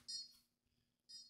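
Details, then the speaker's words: Konnected GDOv2-S smart garage door controller during setup, USB-powered then on power plug: two short high-pitched electronic beep bursts about a second apart, like an 8-bit video game; repeated beeping, reason unknown. "It's just beeping. And nope, that didn't work either. I'm going to unplug this. It sounds like a video game. An old 8-bit video game."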